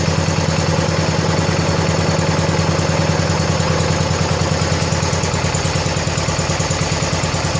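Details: 1970 John Deere 140 H3 garden tractor single-cylinder, just after replacing a severely leaking blown head gasket: even, steady thump at idle, no misses or knocks, settling and running cleanly; runs good and quiet, nearly out of gas.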